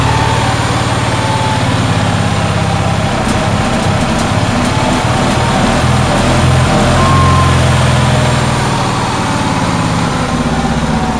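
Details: Onan generator on a cold day, held at a fast idle with a steady throb that never settles lower; it idles too high, cause unknown.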